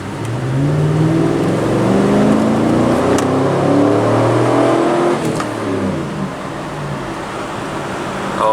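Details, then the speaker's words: 2007 GMC Yukon V8, 208,000 miles, test drive after engine replacement, hard acceleration: engine note climbs smoothly and strongly, no knocks, misses or rattles; runs strong and healthy, vent solenoid fault code present. "She runs good. She runs strong. Sounds healthy."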